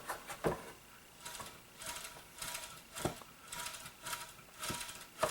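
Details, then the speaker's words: Hoover Tempo Widepath vacuum motor turned by hand with the cover off: slow rasping scrapes about every half second, likely from worn carbon brushes. "Man, that sounds horrible. Most likely the brushes, which you hear, brushes are right here and right here. Most likely those are kind of worn."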